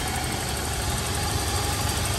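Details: 2003 Toyota Kijang LGX 1.8 EFI petrol, manual RWD, first owner, engine bay: steady idle with light, fast even injector tick over faint whirring fan and AC hum; engine healthy.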